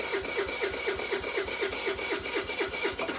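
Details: 2012 or 2013 TaoTao 50cc scooter, first try on old battery: even starter chatter about four beats a second with no firing at all; cranks but won't start, before carburetor removal.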